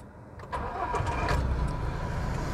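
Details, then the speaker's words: 2021 Toyota Hilux single-cab 4x4 with 6-speed manual, heard from inside the cab: quick crank, then the engine catches and settles into a steady, even low idle; normal start. "Como eu falei para vocês, moçada, ó, a ré dela você tem que abaixar e vou dar partida. Escuta o barulhinho do motor por dentro, ou melhor, dentro do veículo."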